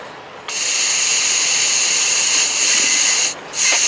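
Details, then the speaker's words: 1987 Johnson 6 hp outboard with bogging problem: air blown through the carburetor's jet passes much easier, smooth steady hiss with no choking or sputter; jet clear. "just swap these two cords out and see if there's a difference oh it's much easier"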